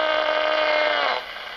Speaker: so that's the noise the netbook plug makes